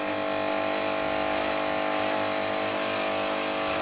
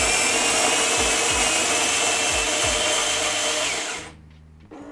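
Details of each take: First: Nivona NICR 788 coffee machine after error 8 brewer gearbox repair: constant buzzing pump drone with faint uneven pulse and no flow; water system airlocked and needs bleeding. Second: Nivona NICR 788 coffee machine, worked on for error 8 (brewer drive gearbox), grinding beans for one coffee: smooth high whirring grind about four seconds, then clean stop with light clicks; grinder normal.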